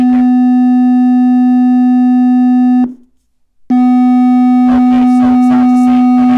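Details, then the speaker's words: Defective Harman Kardon Go + Play Bluetooth speaker, covers off, low test tone sweep around 95 Hz: thin buzzy sound with almost no bass though drivers visibly vibrate. "95 it sounds it sounds a crap guys there's absolutely no base you could tell the speakers here are actually vibrating but this is doing almost nothing"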